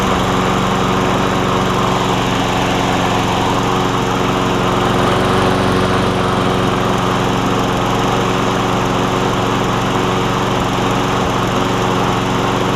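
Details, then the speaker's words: Craftsman 22-inch self-propelled push mower with a Briggs and Stratton Quantum engine, a trade-in after its broken handle was replaced, carburetor untouched: steady, even small-engine drone at constant speed, no misses, surging or knocks, running smoothly. "It's always a good thing when you get a running push mower. You don't have to break open the carb, you just replace the bits on the outside."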